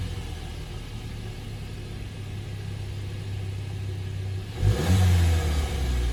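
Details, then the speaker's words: VW Jetta GLI MK7, owned about a year, stock factory exhaust: low quiet idle hum, then a short smooth rev that rises and settles; muted exhaust, normal healthy engine, owner dislikes how quiet it is. "Alright, another thing that I hate about this car is how quiet the exhaust is from factory. So I'm gonna start it up and give it a couple of revs and see if you could hear anything."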